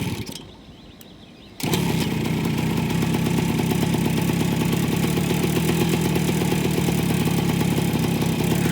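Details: 1978 Kawasaki KE100 two-stroke started on a hot, humid day without earlier running that day: fires at once and settles into a crisp, even ring-ding idle with no stumbling; a healthy start.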